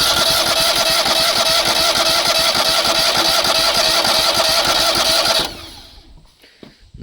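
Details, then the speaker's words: Engine on a crane trailer parked many years, new fuel filter with the tank bypassed into a jug: starter churns steadily for five seconds without a catch; no fuel reaching the carburetor, later found to be a clogged carburetor fuel bowl. "Let's give it a crank. See what it does. Oh, crank. No fuel yet."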